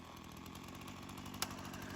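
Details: Craftsman chainsaw that sat for years, rechecked days later after a cool-down: steady, even two-stroke idle with no surging; carb acting more natural, seals checked and saw tipped with no sign of head gasket or crank seal leak; chain doesn't move at idle.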